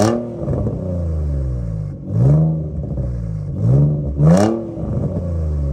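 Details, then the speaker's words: Infiniti G35 drift car after sitting all winter, warmed up and revved: raspy, puffing edge rising with revs from leaking aftermarket exhaust, likely an eBay unit. "aftermarket exhaust, I honestly don't know the name brand. It's probably, I gotta say, most likely an eBay exhaust, but it's leaking anyway."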